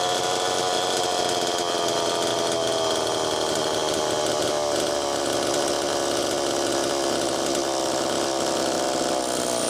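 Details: Allen's Super EZ chainsaw, after Walbro HDC carburetor disassembly/rebuild, test run: steady high two-stroke buzz, even speed, no stumbles or surging; low-speed needle was too closed, slowing priming; crank seals likely fine per tip test.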